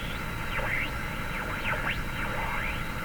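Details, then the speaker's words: Philco 53 shortwave tube radio, barely serviced (only tubes tested): swooping heterodyne whistles over hiss each time the dial crosses a distant station's carrier, but no audio. Suspected bad parts underneath, not confirmed. "so I believe the radio is pick up carriers from distant stations but not nearly enough to produce audio for us to hear but each time a carrier go goes each time I tune across a carrier you hear that swooshy sound"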